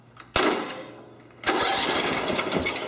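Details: Riding lawn mower starter jumped directly with a test lead from a good ground to rule out the key switch and solenoid: two bursts of steady, even cranking as the engine turns over freely; the starter is good.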